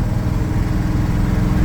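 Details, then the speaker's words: Chevy V8 truck, first drive: deep, lumpy idle with an uneven pulse, running on maybe five or six cylinders, lacking power and sounding strange. Cylinder misfire. "and I think they are working like five cylinders, maybe six. It feels quite lacking in power and the engine sounds quite strange but it works"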